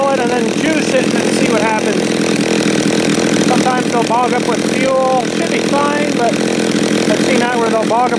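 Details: John Deere EV45 two-stroke chainsaw, made in Japan, after a carburetor rebuild, cutting wood. Steady, loud drone holds speed through cutting and revving, heard behind music, with no bogging or surging. The saw is running fine.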